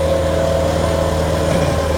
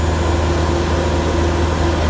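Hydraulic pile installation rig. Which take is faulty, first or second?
second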